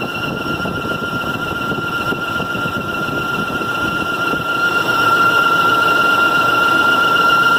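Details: 2003 Range Rover, about 10 minutes into driving, especially when slowing after faster driving. A thin, steady, high whistle sits over road and engine noise, holding pitch and growing slightly louder. Abnormal engine whine, source undetermined.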